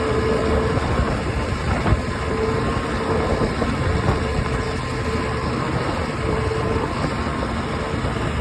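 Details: OX66 outboard with constant rough grinding over a steady drone and a faint whine; new spark plugs stopped it only briefly, compression excellent, prop not slipping, cause unknown.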